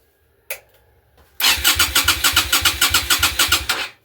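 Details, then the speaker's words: Yamaha Virago 250 V-twin that sat over 10 years, carburetor off, spark confirmed, cranked on a low battery with a jump pack: even, strong compression pulses about 3.5 per second, but it never catches. Cranking compression sounds normal; the owner expects only a good carburetor is needed. "I checked for start spark. It has spark. Uh, it sounds like it's got compression crank in it,"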